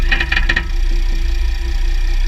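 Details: 2009 Jeep Grand Cherokee WK, 3.0 CRD, Quadra-Trac II, GoPro on skid plate: a run of sharp clicks over low engine drone, then softer knocks as drivetrain loads/unloads; driveshafts test OK, front diff bushes and transfer case oil already changed.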